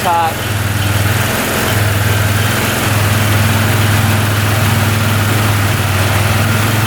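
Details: 2013 Arctic Cat Wildcat 1000 UTV, which bogged with no power and sometimes stalled at idle, idling during timing checks: both cylinders fire evenly in a steady, slightly fast idle, no misfire or stumble; sounds healthy.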